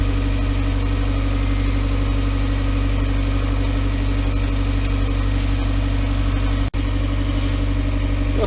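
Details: Volkswagen Voyage with EA111 engine, 2011: steady, even idle with smooth low hum and no knocking, rattle or whine; normal idle.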